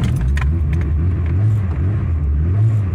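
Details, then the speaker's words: VW Golf GTI with CIS fuel injection, after timing belt installation, key cycled twice to pressurize system with cold-start injector spraying, in neutral: keys jingle, engine catches and holds smooth even low idle; normal start. "pour qu'il démarre je dois m'assurer que je suis au neutre d'accord là elle y va ah"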